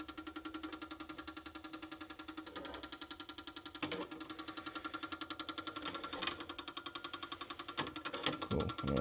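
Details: Toyota Hilux fuel injectors removed and run on a cleaner/tester bench, solenoids switched by the tester leads: crisp, even ticking about four times a second; normal injector pulsing.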